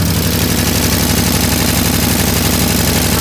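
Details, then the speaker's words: 1967 International Harvester Loadstar 1600 truck idling, just off high idle, with a sharp even tick about three times a second over the rumble, pointing to an exhaust leak. "We have exhaust leak. You guys can hear the tipping."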